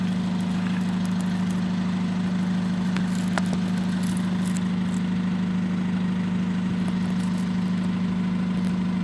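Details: VW Golf GT 2.0 TDI idling with a steady droning hum, slightly uneven clatter and smoke; the EGR valve had stuck open and the turbo needed replacing, then DPF issues; owner again suspects the turbo.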